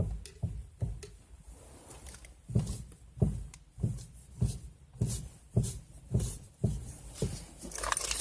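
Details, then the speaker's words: 2018 Chevrolet Niva, 9000 km, driving: dull repeated knocks with slight metallic rattle from the steering on every bump, with significant play; worsened after the steering idler arm was replaced. "стучит на каждой кочке на всем подряд еще и люфт ощущается существенный"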